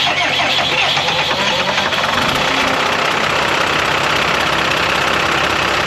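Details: Cummins 5.9 12-valve diesel pusher motorhome, bought as a non-runner, cranked on two deep-cycle golf cart batteries after the starting battery died: engine catches and settles into a steady, even diesel clatter with no misses; normal diesel running.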